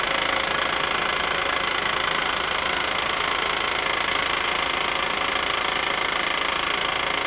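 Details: 1988 Mercedes 560 SEC (W126) V8 idling with a steady sharp knock, two to three a second, growing louder until the car had to be turned off.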